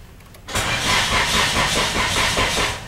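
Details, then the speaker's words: Nissan Tsuru cranks but won't start: steady, even cranking that never catches; tester shows no voltage at either fuel pump wire, so the pump gets no power (fuse next to check). Crank no start, no power to fuel pump. "efectivamente no tengo corriente en este cable vamos a probar el otro y tampoco tengo corriente esto me indica que mi problema no es la bomba aquí el problema es que no llega corriente a la bomba"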